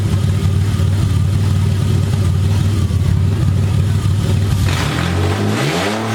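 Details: Verbal-tuned BMW E30 inline-six revved after exhaust manifold install on first start-up, not yet full exhaust; loud raspy rev holds then drops cleanly to idle with barely any overrun popping. Normal revving.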